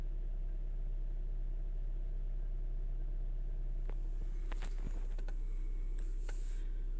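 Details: Chrysler/Dodge/Jeep-line engine, cold start (P2173 vacuum leak, high airflow). Idle drops below 1000 rpm toward about 750 while warming: low, even, no hunting or surging, with a few handling clicks.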